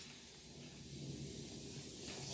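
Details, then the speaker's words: Lawn mower tire with a failed patch over an old repair, inflated: soft, steady hiss of escaping air with no rhythm; leaking at two places, needs an inner tube. "It's leaking at 2 different places."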